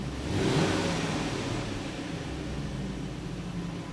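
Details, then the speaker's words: 2007 Supercharged Range Rover L322 that surged when returning to idle, after throttle body cleaning: a quick throttle blip, then the revs drop smoothly and settle straight into a steady, even idle with no hunting or surging. The fix worked. "It settled right back down. That's a success. Nice. Yep, that's what it was. Very smooth, very good."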